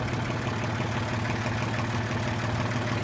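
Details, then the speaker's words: Honda H20A engine at idle with a rough, steady low tapping knock about three beats a second; owner first suspected hydraulic lifters, then chains, and was told bent connecting rods; cause unknown. "думал гидрокомпенсаторы, потом что цепи. Вчера мне сказали, что шатуны гнутые."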